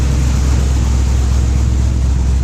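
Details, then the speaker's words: LS-swapped third-gen on a basic Holley startup tune, idling after a new alternator was fitted: deep, steady V8 rumble on all 8 cylinders, with no chirp or squeal; the alternator squeak is fixed. "Here's what she sounds like now. So, yeah. Sounds a lot better with no squeaking."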